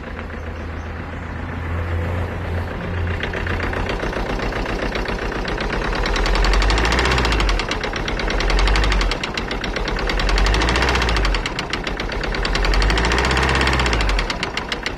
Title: alfa romeo giulietta 2011 engine knocking/ miss fire